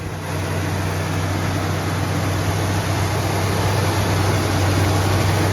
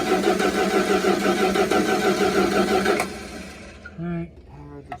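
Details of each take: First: Plymouth Fury III 318 V8 that sat 25 years, after a rebuilt carburetor, new spark plugs and the vacuum advance line pulled off: even, quiet idle with a steady beat and no misses, now running right. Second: Plymouth Fury III (318) sitting 25 years, cranking after power restored to the coil: starter turns the engine at an even three turns a second and it never fires; the ignition points contact is worn away and due for replacement.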